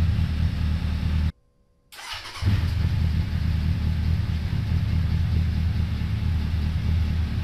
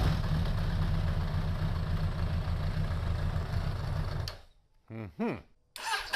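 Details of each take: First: 2002 Suzuki Bandit 1200S, stage-three jetting with pod filters, after fixing fuel overflow for a won't-stay-running complaint, not yet warmed up, mic moved further away: after a short dropout the deep engine note settles into smooth, even idle, no misses or knocks; normal idle. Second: 2002 Suzuki Bandit 1200S, started on enrichment, throttle closed, charging about 13.5 V: runs roughly about four seconds then dies; won't stay running, crud suspected in the carburetors.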